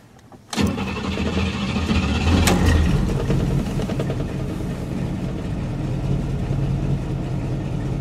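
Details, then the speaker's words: Buick with rebuilt carburetor, warm start without touching accelerator: starter cranks about two seconds before firing into a lumpy idle; long cranking when warm, car has an ongoing misfire and sits unused for weeks. "so we're in the warm start zone now so it's gonna crank the hell out of itself probably and then fire"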